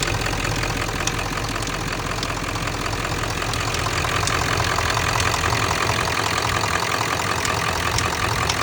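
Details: Ford 7.3 diesel (OBS) at steady idle: a sharp metallic tick, about two or three a second, layered over the usual typewriter clatter; cause not pinned down, metallic ticking.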